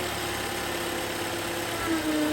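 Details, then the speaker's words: 2011 Toyota Camry at idle: steady alternator whine that stops when its connector is unplugged and returns when reconnected, confirming the alternator needs replacement. "it you hear it so that confirms the alternator needs replacement"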